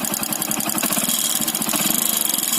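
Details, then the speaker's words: Small single-cylinder bike at idle before repair: sharp metallic tapping keeping time with the engine over a busy exhaust; piston loose with play in worn cylinder block, piston slap. "ये नॉइज देख रहे हैं आप, ये जो नॉइज आ रहा है, आवाज़ आ रहा है, पिस्टन का आवाज़ आ रहा है। अब पिस्टन ब्लॉक में ढीली हो गई है, इसलिए वो आवाज़"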